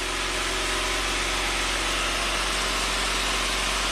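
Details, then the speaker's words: 1993 Saab 9000 CSE Turbo, hot, with the CKP sensor reconnected. Idle is stuck near 1,400 rpm and hunts slightly, and punching the throttle nearly stalls it before it revs. Check-engine code 5 flashes (TPS suspected); aftermarket wiring is present. High idle. "ckp is plugged back in just fires right up and runs beautifully and you see the idle comes up to about 1,400 and just stays there"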